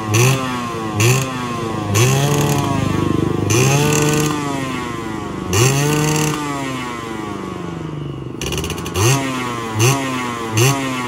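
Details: Yamaha 125Z two-stroke, first run after engine rebuild (damaged conrod, crankshaft/conrod work, magneto checked), stock exhaust: crisp throttle blips rise and fall cleanly with no rumble or flutter on deceleration; normal running.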